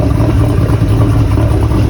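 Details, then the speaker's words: 1976 Volvo 242 with a swapped Chevy small-block LS 5.3 liter aluminum V8: deep, even rumble with steady firing and a smooth throttle blip, no knocks or ticks. Normal exhaust note. "Very unassuming, but listen to that exhaust. Volvo with a 5.3 liter all Right. aluminum V8."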